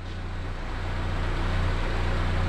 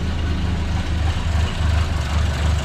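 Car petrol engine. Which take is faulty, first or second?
second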